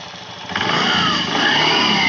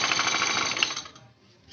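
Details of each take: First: Honda Beat scooter after CVT service replacing roller housing and rollers, previously noisy at idle: starts and revs smoothly, whirr rising and falling evenly, no rattle or grinding; grinding noise gone, normal CVT operation. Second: Honda Beat scooter CVT at idle, cover open: fast metallic rattle that fades when throttled; worn, loose roller housing and worn sliders, fixed by replacing roller housing and rollers.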